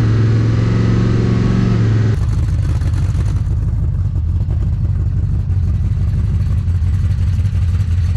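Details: Big-block Chevy V8 swapped into an HQ Holden with TH400, h-beam rods and domed pistons at roughly 12.4–13:1 compression: deep, even burble that settles to a lower steady beat after a rev; runs cleanly, no knocks or misses.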